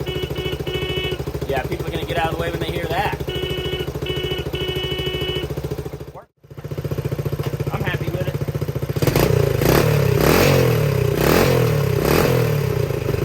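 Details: 1970 Honda CT90 single after fixing carburetor float bowl and drain fuel leak, first run outside warming up: steady putter at idle, louder and fuller as it warms, no knocks or misses, no leaks so far — normal idle.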